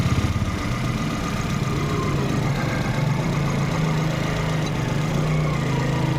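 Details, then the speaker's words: Volkswagen Polo/Vento petrol at idle, cylinder 1 misfire (P0301) with engine and EPC lights, also missing at 50–70 km/h: rough uneven thrum; no pulse at cylinder 1 injector though coil has current. "आप देख सकते हैं यहां पे अपना pulse नहीं आ रहा है यहां पे। पल्स वगैरह कुछ भी नहीं है इसमें।"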